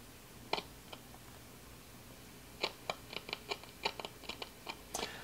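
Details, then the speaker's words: Mid-1960s Zenith B258W four-transistor clock radio on 120 V: irregular sharp crackles and pops over a quiet hiss. The scratching is suspected to come from a dirty volume pot, which was cleaned next. "120 volts there okay it's scratching again"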